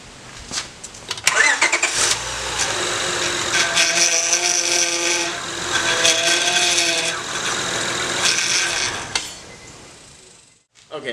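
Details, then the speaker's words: 2002-era Honda power steering after replacing failed inlet hose O-ring, just started: wavering mid-pitched whine over idle comes and goes; fluid still aerated with air in system, needs bleeding to clear. "so obviously yes you still heard the noise and that's not horribly uncommon that flute that fluid is still gonna be aerate it's still gonna have some air in the system"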